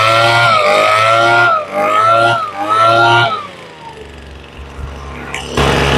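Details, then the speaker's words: Craftsman two-stroke blower just after a carb rebuild, on full prime and full choke, not yet warmed up: a high buzz that surges and sags every second or so with a slight stutter; lean high-speed mixture, to be adjusted. "I don't know if you can hear, but it's got a little stutter. Kind of hard to hear on the microphone, but she's got a little bit of a stutter."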